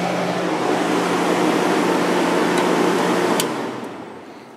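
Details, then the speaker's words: Fedders 7500 BTU window air conditioner, fan on high speed: steady airy rush with low even hum, no knocks or rattles; this unit's fan spins faster and draws more power than the other Fedders; normal fan operation. "we'll show high fan this thing really spins fast on high speed there's a lot of [Music] air"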